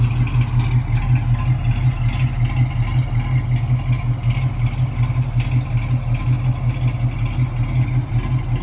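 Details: 1968 Mustang coupe, 302 V8 with mild cam, 3-speed manual: deep loping rumble, steady rhythm about three beats a second, no ticks or misses; normal idle.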